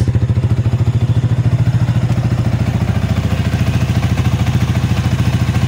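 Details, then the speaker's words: Sniper 155 VVA single-cylinder after cylinder head rebuild and timing chain replacement, at idle: steady, even idle at about 200 pulses a minute with no ticking or clatter on top; the earlier ticking is gone and it runs quiet. "Wala na yung lagitik. Yan. So good siya. Hindi na siya maingay."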